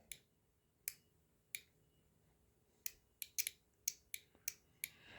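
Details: Automotive relay bench-wired to a trailer lamp and switched by grounding the trigger: sharp, clean single clicks at irregular intervals; the relay is switching normally.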